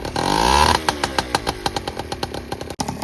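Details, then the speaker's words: Honda Express 2 scooter, 60cc big bore two-stroke, after carburetor rework and refit: catches, revs briefly, then settles into crisp, evenly spaced idle pops; starting and running cleanly. "Yeah, what do you think, Braden? Dude, it runs great."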